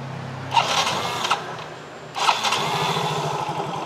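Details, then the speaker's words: Motorcycle fitted with an imitation (fake) IC part: catches with a couple of sharp bursts, then stumbles with slow uneven low pulses. Rough running from fuel starvation. "kalau ini kita pakai ya hidup-hidup tapi terganggu tuh sekarang Bagaimana ini adalah produk tiruan"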